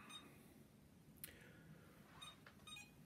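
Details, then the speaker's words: iLife V5 robot vacuum, owned a couple of days, cleans fine but beeps a few short high beeps and flashes lights while on its charging cradle, then carries on charging; when beeping it tries to spin the brushes. "you can see it beeps flashes the lights a couple times and then carries on charging so it's not happy about something"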